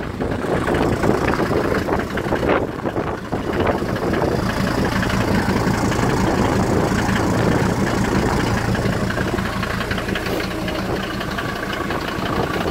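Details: 1991 Ford Explorer turbo diesel, sat unused since July 2016 after axle and gear-ratio work, cold start after priming the fuel pump and charging a drained battery; catches and settles into a steady, even idle under gusty wind, no misses or knocks: normal.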